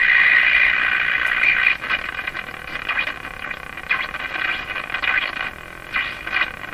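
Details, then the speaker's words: Canadian Westinghouse Model 684 tube radio on broadcast band at full volume after replacing last three wax capacitors: high whistling squeal, then irregular put-put bursts about four a second; motorboating from the radio itself, second IF transformer jumped, cause unknown. "So now that sound is an effect coming from the radio itself. Motorboating. Not a welcome."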